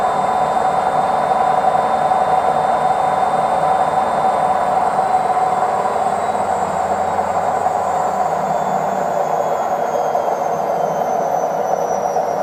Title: Washing Machine spin cycle bad bearings screeching sound